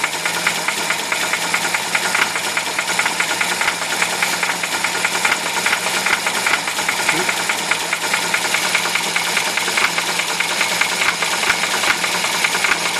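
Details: UZAM-412 engine running with a fast, busy ticking knock that stays steady throughout; a clear internal knock, source not pinned down.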